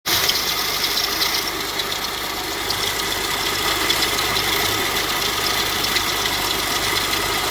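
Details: 2006 Kia New Sportage, 254,800 km, idling: loud, steady, gritty high-pitched rattle and warble from the engine bay, traced to a failed alternator bearing; charging output still fine.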